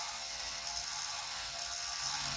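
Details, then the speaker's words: Traxxas TRX4m Bronco/Defender RC crawler with the rear axle bent forward while running: steady high gear whir turns strained and rough. The flexible rear axle binds the driveline; held straight, it runs smoother. "both gonna be weird but that really binds it up but yeah those are flexible axles and it binds"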